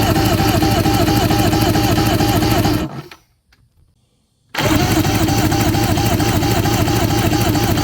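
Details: 1997 Evinrude 150HP two-stroke V6 outboard, sat 20+ years, fogged, cranking with plugs out for compression test: even regular whirring crank, pause, same rhythm again, turns freely; normal cranking.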